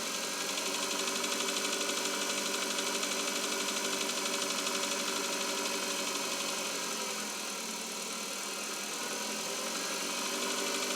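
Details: Cold (not warmed-up) 2021 Chevrolet Cobalt engine at idle: steady light knocking about three times a second; engine knock, source not yet pinned down.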